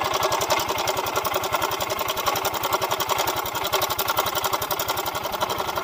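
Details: Yamaha Mio M3 125 scooter with a rough-sound complaint, magneto cover off, engine turned over: fast, dry "ceklek" ticking about four a second, which is the cause of the roughness; the cam chain tensioner setting seems soft and slack.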